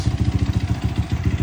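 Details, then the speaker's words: Sniper 155 engine, downgraded from 210cc to 192cc, fresh rebuild with NMAX valve springs, first start: steady idle pulsing about ten times a second with a loose metallic chatter from the clutch housing, tolerable, engine itself quiet. Clutch housing rattle at idle. "clutch housing ang maingay. Pero tolerable naman yung ingay kasi iba yung tunog sa cellphone."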